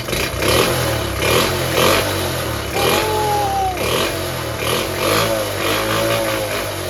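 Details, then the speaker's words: Restored Honda Cub C70 single revs up and settles several times, choke off, crisp with no misfire or stumble after the ignition points fault was fixed; running sweetly. "see what it runs like sounds all right sounds fing perfect"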